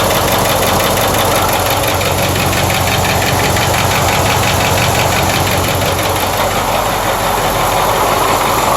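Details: Ford 6.4 diesel just after a full rebuild: loud diesel clatter at idle with an uneven knock of about two beats a second from the rear driver side, slightly louder after about a minute of running. Owner worries about a bearing or lifter.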